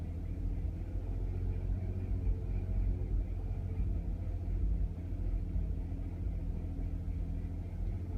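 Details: 2005 Audi A3 8P 3.2 V6 petrol: low, lumpy idle with an uneven, stumbling beat of an engine misfire, fixed by VAG car coding.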